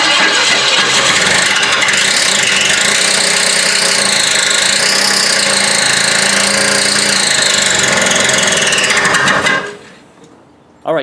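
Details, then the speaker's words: Mustang Fastback project: harsh metal-on-metal whirring while cranking with a steady womp about four times a second, then it stops; something is hitting outside the engine, suspected at the starter or flywheel. "now it sounds like you hear that womp womp womp sound when this thing is trying to start something's hitting it's not internal to the engine it sounds like it's on the flywheel or something"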